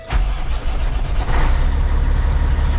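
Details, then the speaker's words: Semi truck with a Cat engine and an intermittent no-start, after ECM/starter circuit checks: starter turns briefly, then the diesel catches and settles into a steady, even low idle, starting normally on the key. "right there it is started how you all it things everything's back autle works I have to say it looks like everything's good"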